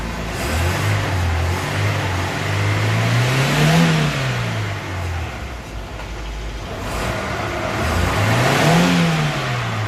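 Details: Daewoo Lanos/Sens front left hub bearing, car on a jack, engine running and the wheel spun in gear to confirm: low hum rising and falling with wheel speed, engine idling underneath; worn front hub bearing droning.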